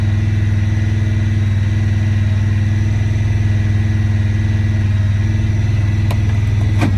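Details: 2017 Honda Pioneer 1000-5: loud, fast, high idle with an uneven pulse about four times a second; code 9-2 (IACT). Cause: factory over-crimped wires broken inside insulation at the IACV plug on the throttle body under the air box; fixed by replacing the plug and re-crimping.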